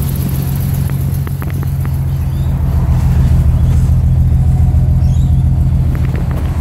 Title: M20 death rattle